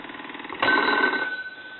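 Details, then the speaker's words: Decorative wood wall telephone rung with a line analyzer on high setting, noted as working except not dialing out: buzzy rattling ring with a thin sustained tone and uneven strikes; bell not ringing properly, cause not yet found. "uh we're gonna have to check that bell out it does not sound proper to me"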